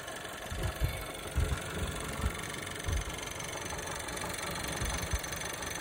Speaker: If you're hearing a tapping or clicking sound from the engine, it could mean that there's an issue with the engine's lifters, valves, or timing belt.